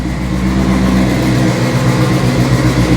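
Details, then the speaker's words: AWD EM1 Civic Si build aiming for 1000 hp with a fresh JBR short block and a sequential gearbox, just after shifting through the gears: took a moment to idle on its own, now a steady, even low idle with no misses; normal idle. "Car took a second to want to idle on its own, but she's all good to go now."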